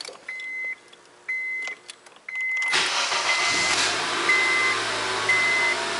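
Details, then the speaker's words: 2004 Honda Accord after replacing the clicking PGM-FI main relay, hood open, battery charged: dash chimes then short brisk crank and immediate start, no lag; previously it dragged, cranking too long before firing. "Nice and smooth, no lag."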